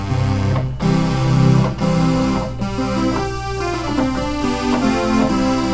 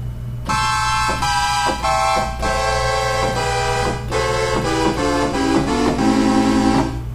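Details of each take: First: Oberheim OB-8 analog synthesizer, retuned and played in the lowest octave: chords play clean and steady, with no beating or fuzz. Voices are in tune here, though the problem board distorts and drifts out of tune in higher octaves. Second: Oberheim OB-8 analog synthesizer, voices five to eight in a higher octave: sustained chords sound sour and wavering, with some notes clearly off pitch. The detuning comes from the problem voice board, later fixed by replacing capacitors, likely in the sample-and-hold tuning circuit.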